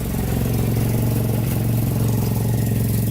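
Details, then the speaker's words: AE86 4AGE engine after Martelius header and Fujitsubo exhaust install, first start at idle: loud raspy chuff each pulse from a huge front exhaust leak at a twisted-in homemade test pipe. "Yes, because I had to twist that thing on there to get it to sit in. Here's this huge exhaust leak in the front here."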